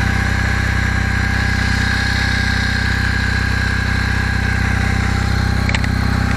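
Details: Kawasaki W650 twin, about 50k, idling cold without choke at about 10 °C: steady light knock about four per second over the exhaust beat, growing as it warms; owner suspects cam drive gear mesh needs adjusting, valves already adjusted.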